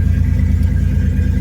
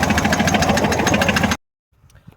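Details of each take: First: Datsun 280ZX inline-six petrol engine idling slightly high after repair of a rod-knock-like knocking, new oil pressure switch fitted (owner believes it caused the problem); smooth even hum, no knock, oil pressure good, quietest it has run. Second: Datsun 280ZX that developed a bad rod knock while driving home from work: a heavy, steady knock hammers about seven times a second over the running engine; a worn rod bearing is suspected.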